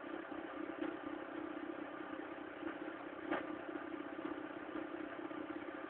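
A faint, uneven clatter with odd sharp ticks sits over a thin, steady drone at a cold idle; the cause is unclear.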